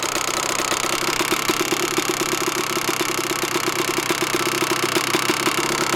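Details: 125 two-stroke dirt bike (YZ125/KX125 pair), sat unridden most of the year: super loud sharp, rapid ticking at idle that goes away when revved; owner thinks it's from the top end but unsure; top end rebuilt about four times with new piston and rings, and power valve checked, all looked fine.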